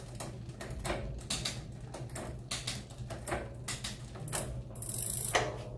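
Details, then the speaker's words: Mountain bike with newly installed SRAM GX Eagle drivetrain running a Sunrace 51-tooth cassette: light ratcheting ticks and clean clicks across the cassette, no grinding or chatter; shifting nice and smooth. "You guys can hear that, it's nice and smooth."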